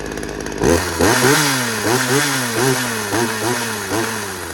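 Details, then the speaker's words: Poulan 2150LX chainsaw after a new recoil spring, carburetor rebuild, new fuel lines and fresh gas, with low and high speed screws set at 1.25 turns: fires up and runs, revs surging unevenly while settling in on fresh carb settings; running normally. "We got the Poulan 2150LX super clean up and running. It needed a new recoil spring. It needed carburetor rebuild, new fuel lines, fresh gas, you know, the usual. So yeah, runs good."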